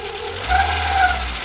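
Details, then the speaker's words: 1993 Citroën ZX Avantage 1.4i TU3 engine, new timing belt with about 900 miles on it: at idle, a clear whine rises with each throttle blip. Suspected over-tightened timing belt; the planned fix is easing tension at the tensioner. "I think what's happened is whoever's done the timing belt, they've done it a little bit too tight. So when you give it a little rev, yeah, that noise?"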